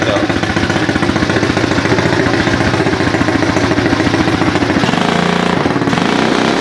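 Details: 2018 automatic pit bike with key start, no clutch or gears, chain freshly tightened: small single-cylinder engine popping along at a quick, steady idle with an even beat and no knocks; runs healthy.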